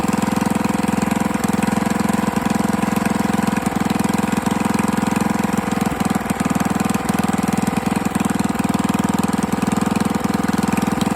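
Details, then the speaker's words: 98cc small single-cylinder engine first run after rebuild with better used parts and honed cylinder, break-in oil, intake leak suspected: uneven idle with sharp metallic tap each revolution; hand rotation shows clunk, loose connecting rod; no longer smoking. "I rotated the engine by hand, and there is a significant, like, clunk clunk. There's very little movement right there. That's a connecting rod being loose."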